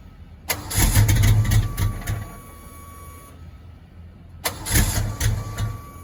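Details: 1986 Ford Mustang GT, original roughly 40–50,000 miles, long-sitting, barely running, first start: two cranking bursts, uneven catch, stumbling lumpy rhythm that never settles; hard start and rough running, misfire suspected, cause not confirmed.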